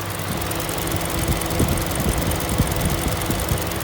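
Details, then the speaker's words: 2012 Hyundai ix35 with G4NA engine, 127,000 km, catalyst removed at 90,000 km, warm idle after an engine rebuild for diesel-like knocking: a smooth, quiet, even hum with no knocks or rattles; normal idle. "Слышно четкая, тихая работа двигателя, как он должен работать."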